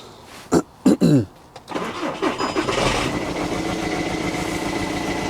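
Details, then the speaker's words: Skoda Superb diesel after broken injector-bracket bolt removal and reassembly: cranks, catches and settles into a lumpy, knocky idle with an odd noise; owner first suspected valve or timing problem. "that sounds quite it sounds a little bit mocky and i can hear some i don't know hear some sort of noise going on first of all i thought it's like sound like a bit of a vows problem timing problem"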